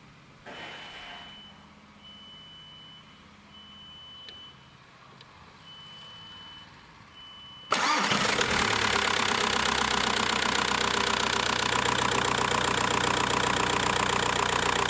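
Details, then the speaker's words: VW Bora 1.9 PD diesel at first start-up after a timing belt replacement, with the fuel filter empty. It fires at once into a busy, rough idle with an uneven rattle and vibration, which the owner suspects comes from the clutch damper. "There was this noise and a vibration in the engine, but this is, as I suspected, from the damper on the clutch."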